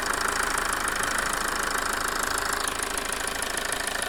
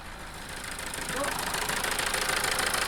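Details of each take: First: Toyota 2.2 diesel after replacing a faulty injector that had caused a rough idle and loss of power: a steady, even diesel clatter at idle with no stumble or misfire, running smoothly. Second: Toyota 2.2 diesel idling with uneven clatter, about three knocks a second swelling and wavering, plus loss of power; faulty injector, fixed by replacing it.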